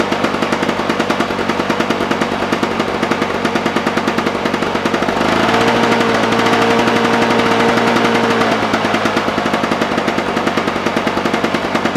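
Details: Lawn Boy push mower returned again with no spark (spark comes and goes), dried off, now started: rapid, even single-cylinder crackle firing cleanly at steady speed, no misses or stalls; running fine.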